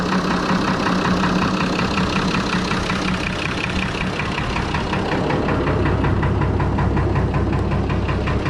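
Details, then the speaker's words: Fordson Major tractor with a Perkins straight-six diesel, idling while the clutch thrust bearing is being replaced. Steady, even diesel clatter with a regular beat and no misses or knocks: normal, smooth idle. "But you guys hear how nice it idles and how it is. It's just awesome. So smooth."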